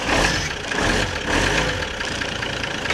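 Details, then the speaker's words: Mercedes 508D/613D diesel started after cooling system flush and refill with 50% antifreeze to bleed air bubbles, in neutral: steady even idle clatter, no misses or knocks; normal idle. "I'm going to fire it up so the air bubbles will get out of the cooling system. Goes a little bit quicker that way."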